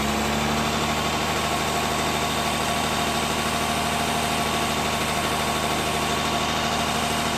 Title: S-type 2.7d possible low end knock? Spun bearings?